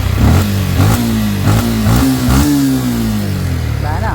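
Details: Yamaha Sniper 155 after a failed cam chain tensioner was replaced with a tightened manual tensioner. Engine blips up and settles smoothly, pitch following the throttle, with no timing-chain rattle or slap.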